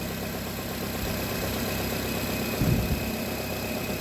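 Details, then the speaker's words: Nissan Cube fresh from auction, P0300 random misfire code with cylinder 3 noted: low uneven idle that swells mid-clip then settles; surging idle, cause not pinned down. "Why is it doing that? It's surging like that. What's up with that?"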